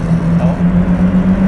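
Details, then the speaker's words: Mazdaspeed MX-5 Miata (NB) turbo under full-boost acceleration after fixing a big exhaust leak from a stripped stud: steady deep engine drone with no ticking or puffing from the engine bay, running better than before. "so it's running better than it was before i'm pretty sure we've fixed that exhaust leak i'm not hearing the same sort of noise that was coming from the engine bay which is excellent"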